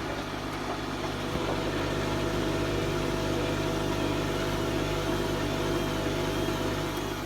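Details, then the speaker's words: Bosch WFL246SGB/01 washing machine on an Easy Care 40° test wash: steady low motor hum with gentle uneven shuffling as the drum rocks and balances its load before spin; normal. "It's balancing itself out there and moving about a bit, and it should get up to a good spin soon."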